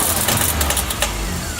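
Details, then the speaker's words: Nissan S13 Sileighty, first start with exhaust fitted: harsh, rough roar with a raspy metallic edge instead of a clean idle; turbocharger failure, turbine had been stuck and not spinning before start. "Wo! Wo! Uh-oh. That didn't sound good. Beep beep. That really didn't sound good."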